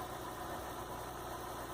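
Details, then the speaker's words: 2003 Mazda MPV with non-electronic throttle body after adjusting a high idle (1000, then 800 rpm) down to 700 rpm; steady, even low hum with no misses, knocks or surging; normal idle. "as you can see our rpm has been corrected and it is at 700 it's all set"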